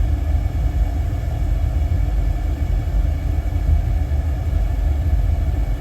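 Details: Old Burnham gas-fired boiler after repair, first fire-up, about 76% efficiency with CO slightly climbing: steady deep burner roar, even, no surging, pulsing or rattles; running properly.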